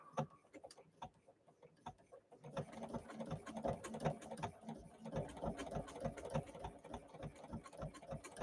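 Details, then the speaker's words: Sewing machine running at about one fifth of full speed: quick, light, even needle ticking at about three stitches a second, no grinding or knocks; normal running. "And that is, if you could see, that is like only about 1/5 of the speed, 1/5. This thing will just fly."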